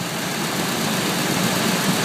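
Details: 2002 Ford F-150 SuperCrew 5.4L Triton V8 idling smoothly and quietly after a bad PCV valve was replaced, which had caused a strange whining noise at start-up and shut-off. Even hum, no hissing, ticking or knocking.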